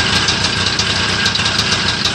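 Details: Homemade Muravey tricycle, first start after repair: small two-stroke buzzing at a steady, even idle with a light rattly crackle on top, nothing irregular, running fine.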